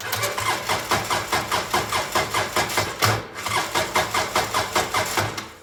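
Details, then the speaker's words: 2012 Polaris Ranger 800 XP cranked by jumping the solenoid, blown fuses and neutral gauge not working: even starter cranking about two and a half pulses a second, steady compression, no grinding; engine sounds healthy. "engine sounds healthy"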